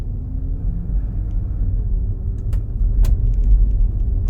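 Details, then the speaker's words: Range Rover Sport L320 test drive after replacing both rear anti-roll bar drop links: only steady low road rumble over bumps, no knocks or rattles; earlier rear rattle over bumps fixed. "Oh! Yeah, that's definitely better. No more rattles. It's night and day."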